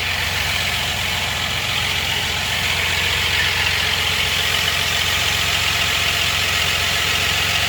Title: rattling sound 4.3